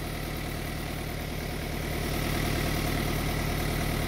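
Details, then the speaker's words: Car at idle after starting, with a steady low rumble and a faint buzzy rattle. Vibration is felt throughout the dashboard and gear lever. Cause is a broken lower engine mount on the gearbox side; replacing the mount is the fix. "donc quand je démarre le moteur et vibre et même j'entends débrouille dans le tableau de bord les vibrations partout dans le tableau de bord"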